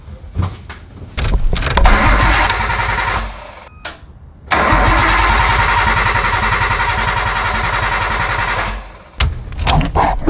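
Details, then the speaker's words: 1998 Nissan Skyline GT-T R34, bought not running, cranks after a Walbro 525 fuel pump install. The starter churns steadily for several seconds, stops, tries again, and the engine never catches: crank no start, cause still unknown. "Well, another day, another failure. And I'm not seeing anything that looks wrong."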